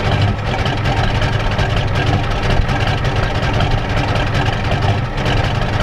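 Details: 1993 Ford F-250 7.3L IDI diesel, first start after sitting Monday to Thursday, at idle in wind: a deep, uneven, lumpy clatter with a rough idle. The pump was checked and found out of time, and it smokes heavily.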